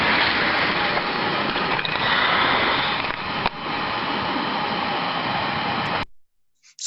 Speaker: as you can hear them you hear a study level of turbulence first of all then all of a sudden a large rise in turbulence as that steam trap opens and then you can also hear very clear abrupt halt so the surveillance as that disk is slammed back down to close the trap up again